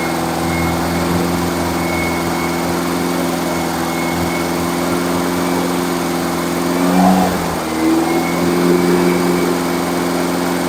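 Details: Freshly rebuilt engine during break-in, after reconnecting the vacuum advance line and correcting a backwards-connected fuel pump: steady, even hum with a brief dip and recovery midway; keeps running smoothly on its own.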